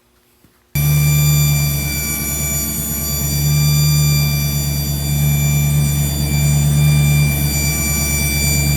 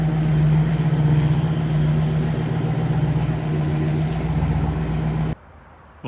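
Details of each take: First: Engine with mic held by a hose near the distributor: steady high whine over the low engine drone, located around the distributor; owner first feared transmission pump. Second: Engine after repairing the failed distributor gear that caused a whine, on maiden yard drive: deep, even drone with steady pulse and no knocks or misfires; engine, transmission shifting, brakes and steering seem good.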